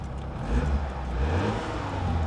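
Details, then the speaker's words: Flooded BMW at auction with automatic transmission and paddles, just started: short, clean rev rising and falling smoothly, no knocks or misses; normal rev. "It sounds good."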